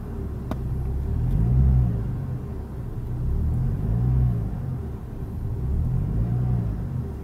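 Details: BMW E46 at idle with A/C on, after swapping in a remapped ECU and a non-original crankshaft sensor: rpm rises and falls in slow waves about every two seconds and won't settle, and the engine later stalled; the ECU swap did not cure the idle hunting.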